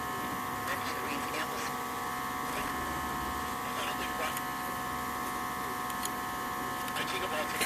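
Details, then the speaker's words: Philco 53-658 two-band battery tube radio under initial analysis: a constant low hum of steady tones through the speaker with no program audio; all four sections of the electrolytic filter capacitor are dead and it needs replacing. "as you can hear this electrolytic capacitor is completely gone all four sections are history completely dead so it needs a new electrolytic capacitor"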